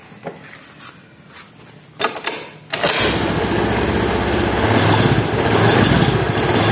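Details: Honda Beat injection scooter CVT after reassembly with thicker material to stop the klotok rattle: after some handling clatter it starts and runs steady and even with no knocking from the belt drive; transmission sounds smooth.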